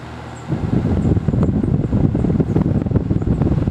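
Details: Vintage fan with steeply pitched blades that moves a lot of air: a steady rush of air with an even low drone and no ticking, scraping or wobble; it is running healthy.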